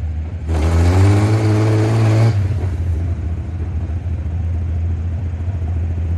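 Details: International 1-ton flatbed (stated 1947 or 1949), revived after about 50-53 years, 12-volt with replacement coil lacking required resistor; engine revs cleanly for about two seconds then drops back to steady even idle; normal running.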